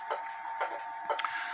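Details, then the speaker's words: Clock in beat, running with a somewhat even tick-tock and hung on the wall; crisp, even tick-tock about two beats a second in a quiet room. "I hope that this helps and I hope that clarifies things up in this case because the clock is running somewhat e uh evenly Tick Tock I go ahead and put it on on the wall"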